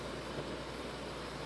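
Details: Restored Coleman PQ chandelier lantern with four burners, after clearing scuzz from a tip and still heating up: steady, even burner hiss with no sputter or surging; two burners running normally.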